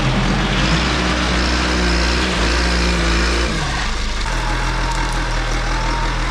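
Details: John Deere 310D backhoe diesel with Stanadyne injection pump, after replacing the fuel shutoff solenoid that left it cranking without starting: deep, even rumble at idle, no misses or knocks, some yard noise; it now starts and runs properly.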